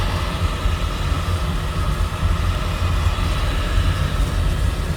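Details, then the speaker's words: Home oil-fired boiler burner restarted after running out of oil, refilled and fuel line bled: steady low roar with soft rushing hiss, no sputtering or pulsing; burner lit and firing evenly. "That's when the boiler started."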